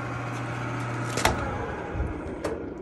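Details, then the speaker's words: Frigidaire gas dryer picked up from the curb, started: steady motor hum while drum does not turn, motor spins freely with no resistance; broken drive belt. "press the start button I hear the motor moving but the drum is not moving this is a broken"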